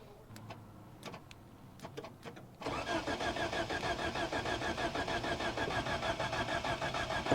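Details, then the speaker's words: 1973 Toyota Hilux, 18R 2.0L four-cylinder with mechanical fuel pump, abandoned about 20 years. The starter cranks evenly at about three beats a second but it never fires. The loosened fuel line is bone dry: no fuel delivery. "All right, so we got this thing to crank over, and getting it to crank over, well, the next thing I need to do is see if I can get any fuel out of it. So I went ahead, I loosened this fuel line, and right now we're dry as a bone."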